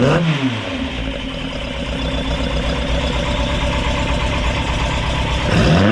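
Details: Ford crossflow race engine in a TVR Vixen, rebuilt with a loaned cylinder head, first start after finding a cracked part: catches quickly, blips up, settles to a crisp even idle with clean revs, no misfire or knock; runs healthy, not yet warmed up.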